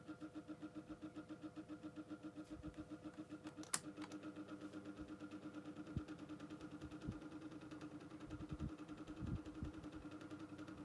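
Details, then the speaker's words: Micromark retro fan after motor servicing, low to medium speed: steady hum with faint tone near 300 Hz and soft pulsing about 90 per minute; abnormal motor noise returned despite attempted fix. "Yeah, I could still use it and everything. It's just going to make that noise."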